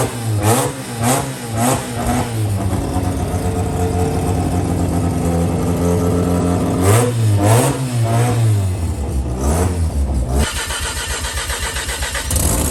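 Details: JDM Haruguchi FC RX7 after sitting, with new battery, 98 petrol, oil, water, gearbox and diff oil and clutch and brake fluid: it cranks and catches, then blips up and settles into an uneven but healthy rotary idle.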